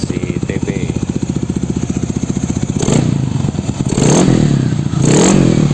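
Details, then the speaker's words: Yamaha NMAX bored up to 180cc with 34mm throttle body, after fixing earlier valve noise caused by excessive valve clearance (not tensioner or piston): even idle putter and clean throttle blips, no ticking or top-end clatter; valves now quiet. "Ya, celah katupnya terlalu longgar. Sekarang sudah aman, suaranya bagus, dengarkan saja"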